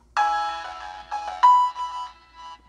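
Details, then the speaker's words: Budget GRS 1TD2-8 tweeter in a Pioneer CS410 rebuild, fed through a first-order 2300 Hz crossover with a GRS 10" woofer: ringtone-like notes turn harsh, fizzy and gritty on the high end from tweeter distortion. "that like distortion just terrible"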